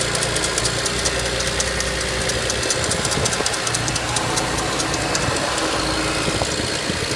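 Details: BMW E90 335i with N54 engine on cold start, settling to idle with a busy, uneven light ticking, crackling and rattle; source not pinned down, cause suspected, not confirmed.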